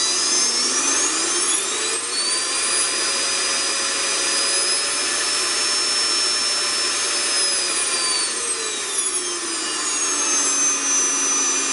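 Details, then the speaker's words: Vacuum cleaner after cable repair, wires reconnected one by one and resistor speed control tested: high, steady motor whine climbing and dropping smoothly as speed is regulated, no cutting out; motor healthy. "Vidimo i da on radi. Redom smo vraćali žice po žicu i palili usisivač, probavali da vidimo da li funkcioniše i sada radi."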